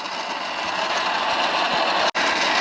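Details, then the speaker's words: Sur-Ron Light Bee electric motor after hall sensor replacement, test ride: harsh steady grinding roar with no drive; owner believes the motor is completely blown internally. "I think that's the motor completely done it sounds absolutely awful it was going so well it was so fast it was working exactly how it should be and now I've got nothing"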